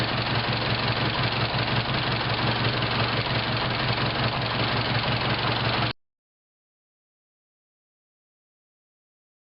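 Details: 1915 runabout petrol engine idling with a steady, distinct knock near three raps a second, which began right after some maintenance; it ran normally before, and the fix was simple.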